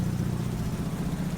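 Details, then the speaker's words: Mazda RX8 bought as a non-runner, first start-up, in the rain: low, lumpy idle with an uneven shake and shudder; rotary running rough and sounding ropey, cause unclear, exhaust suspected. "But it doesn't sound super healthy, to be fair. It's got a bit of a shudder"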